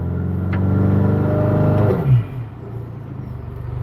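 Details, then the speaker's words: Honda Accord (10th gen) with new high-pressure direct-injection fuel pump, in drive at full throttle; firm, even drone held, then smooth drop-off; fuel pressure holds decently; normal engine under load. "so as you can see the pressure is there it holds it pretty decently"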